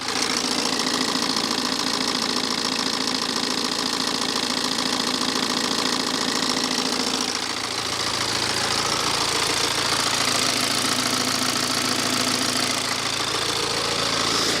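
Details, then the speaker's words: BMW 318d with N47 diesel, cold start idling with a loose engine cover, busy clatter around two per second and a metallic rattle on top; owner questions whether the timing chain is excessively loud, plus a squeak likely from the alternator pulley. "But what do we think about the timing chain? Does it sound excessively loud?"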